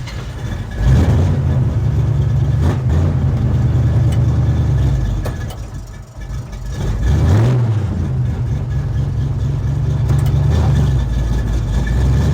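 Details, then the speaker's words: 1972 Chevrolet Chevelle V8 revived after 5 years sitting, with a TCI street transmission of about 300 miles: a deep even burble dips under load when shifted into gear, then recovers smoothly. It runs healthy and the transmission is solid. "well there you go i love it i caught it with a switch that time she's a runner"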